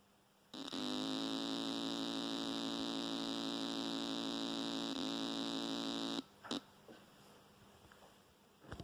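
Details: Newly built JTM45 clone guitar amp with no cable attached: a steady, harsh buzz with many overtones holds evenly for five seconds; mains hum, source unknown.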